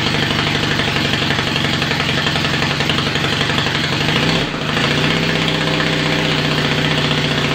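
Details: Yamaha XS650 dual-sport build with a perforated straight-through exhaust, kick-started after sitting overnight. It settles into a steady, even twin-cylinder idle, takes a quick blip around four seconds, then settles back smoothly; sounds healthy.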